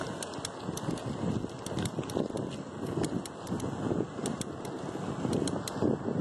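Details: Bicycle clicking while pedaling, started suddenly today: sharp light clicks at an uneven pace over wind and tyre noise; owner suspects the crank. Cause not confirmed.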